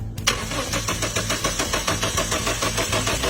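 Steady starter churn at about three and a half beats a second that never fires; no spark or fuel, crank sensor fouled.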